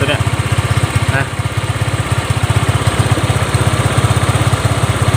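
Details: Honda Click 125 scooter after clutch work: fast steady idle that stays high and won't settle, rear wheel creeping; high idle, suspected worn throttle body.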